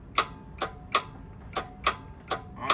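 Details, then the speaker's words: Club Car DS 48 V golf cart, key on, gas pedal pressed: sharp repeated solenoid clicks, about seven in three seconds, but no motor sound and cart does not run. "you can hear the C noid clicking but the car is not running"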